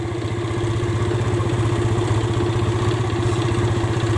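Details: Yamaha Vega R New, single-cylinder, idling with a quick, slightly uneven putter and no knock; intake gaping from loose bolts leaks air, carburetor membrane removed and its hose port blocked, stalling on long rides; fixed with carburetor service, bolt tightening and CDI.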